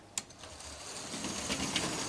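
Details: Juef French model loco with twin motors on individual bogies, tested with top temporarily unfixed: faint even buzz and light wheel clicking as the small motors spin up; runs smoothly now.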